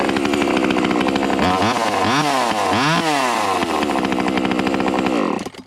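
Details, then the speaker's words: JPNTech 12-inch mini chainsaw restarted hot right after running: fires straight up, revs cleanly up and down a few times and runs smoothly before cutting off; healthy saw. "Sometimes chainsaws when you run them and you turn them off, you want to crank it right back up again, and you have trouble doing that."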